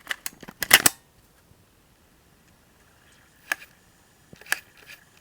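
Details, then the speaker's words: Japan-only MiniDisc player, battery contacts cleaned, mic held close: sharp clicks, a cluster then single ticks a second apart, with any disc and during playback; intermittent mechanism clicking, cause unknown. "so it makes those two clicks no matter what mini discover in there it makes those two clicks and it will make those when i'm actually playing it as well"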